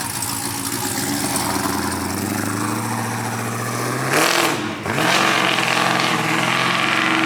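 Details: 1971 Chevelle convertible with brand new supercharged LT4 V8 swap, pulley kit and new exhaust: deep even idle with quick throttle blip dropping back clean and steady; sounds healthy and smooth.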